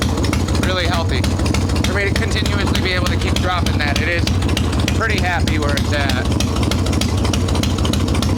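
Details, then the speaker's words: Harley Evo Softail V-twin, carbureted, ice cold, after fixing loose intake bolts and cracked vacuum cap, mixture screw untuned: steady loping idle, no stumbles or hunting, idle returns properly; normal idle. "this is what it's supposed to sound like idle returns like it's supposed to this is an ice cold motor too"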